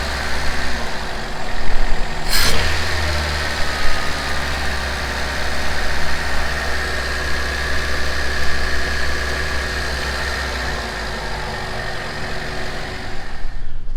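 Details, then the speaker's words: Honda CRX (ED8) after throttle body swap, warming up, no codes, steady rpm: even smooth low idle hum with no misses, knocks or hunting; normal idle. "But overall, it's idling really smooth right now. It sounds way better with this one."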